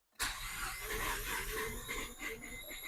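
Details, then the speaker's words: Barn-find Mazda RX-7 FC rotary cranked after sitting over 10 years on very old fuel; starter cranking with uneven thumps and irregular firing that never quite settles into a run. "Oh, we're close. It's thumping. We're real close. Ooh. Here we go."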